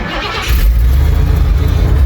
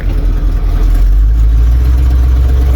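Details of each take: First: 1977 Ford F-250 with fuel-injected 460 big block and E4OD overdrive transmission, headers leaking slightly; catches quickly into a deep, steady fast cold-start high idle with even rumble that comes down, no misses; normal cold start with high idle. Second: 1977 Ford F-250 with fuel-injected 460 big block V8 and E4OD overdrive transmission, revving strongly after high idle settles: faint puffing tick riding on the exhaust beat; slight exhaust header leak.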